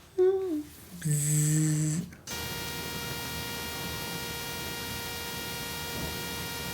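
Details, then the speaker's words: Rode Wireless Go 2 recording into a Sony camera (a7S III, A1, FX3) picks up a steady, harsh fixed-pitch electrical buzz throughout. "do you get a weird buzzing noise when you're recording with the rode wireless go 2 into a sony camera such as the a7 s3 a1 or sony fx3 the noise i'm talking about sounds a little like this"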